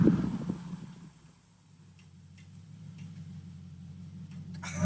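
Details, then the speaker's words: Infiniti Q45 after a loud clunk when stopping or reversing was fixed: faint sharp clicks over low hum while rolling to a stop, from dry CV axle splines at the 32 mm hex axle nut. "no more clunks but now we got clicks I come to a stop"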